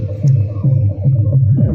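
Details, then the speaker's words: Darpan tower home theatre that had bass humming, cracked sound, one side silent and series bulb glowing, now after repair: deep bass thumps follow the music cleanly with no hum or distortion; working normally. "देखिए set हमारा चालू हो गया है यह तो speaker हमारा इस साइड की ऐसी पहले से ही बाज रही थी"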